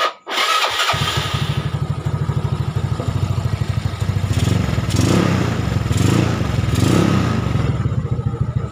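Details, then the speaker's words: Yamaha Nouvo Lele scooter bored up with a 58mm piston and a big carburetor, previously very sluggish, tested at night after repairs. A wiring fault makes the sound slightly rough; the muffler is hollowed. The engine catches and settles to a steady, even putter with light throttle blips; it runs healthy. "kabelnya yang kurang bagus itu Jadi rada nyenyak-nyek ini suaranya Lur knalpotnya bobokan Lur"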